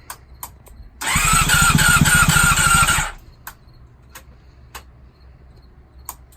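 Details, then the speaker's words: Honda CBR600RR with fuel issues, awaiting a fuel pump replacement, start attempt on a new battery. Steady starter cranking with even compression beats about four per second for two seconds, then it quits without catching: cranks, won't start. "Now we're going to go ahead and try to start her up and see what happens. Sounded like she was about to start there for a second."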